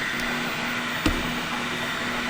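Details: Flashforge Finder Lite 3D printer early in its first print (about 1% done). Constant soft cooling-fan hiss, faint steady motor tones and one light click. Normal printing noise.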